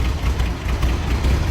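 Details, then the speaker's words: 1965 Chevrolet Corvair Corsa convertible, optional 140 hp engine, dual exhaust, in neutral, heard from the rear: low even burble with steady exhaust pulses, no ticking or knocking; smooth healthy idle. "I mean, the engine runs just incredibly smooth."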